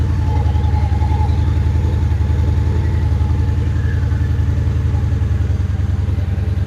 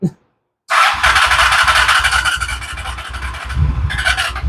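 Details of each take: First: Honda Shadow Spirit VT750 on new Chinese carburetors, restarted after adding a fuel hose clamp, shirt microphone: steady, even V-twin idle with a deep regular beat, then a few quick blips; sounds fantastic and healthy. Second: Honda Shadow Spirit VT750 with new Chinese carburetors, after a month-and-a-half project: clutch in, long cranking to fill the empty carbs, starter whirs with even compression thumps about three per second and never catches; owner fears the battery may die first.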